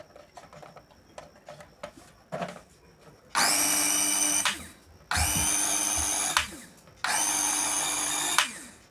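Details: Small mixer grinder motor after oiling: three short high-pitched spin-ups to a smooth steady speed, no rattle or grinding. Runs healthily.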